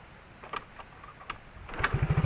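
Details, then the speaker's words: Kick-started motorcycle after sanding rusted spark plug and cleaning corroded plug cap, previously hard to kick-start and hesitating when hot (blocked injector blamed): a few kicks, catches within a second into steady even single-cylinder putt; starts easily now, long ride untested. "Nah, dan memang sudah enak sekarang ya. Ada perubahanlah. Kemarin pas di engkol memang susah susah hidupnya. Sekarang sudah enak karena memang sudah dibersihkan di arus pengapian ya."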